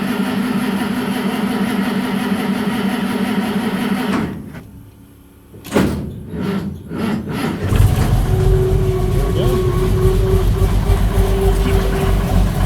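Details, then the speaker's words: 1963 Mack, first start in years after a no-start blamed on bad gas, choke cable unhooked, rag in intake; runs rough with a faint steady whine once it picks up, owner suspects the water pump. Abnormal engine noise. "I don't know if that's the water pump that's not sounding good."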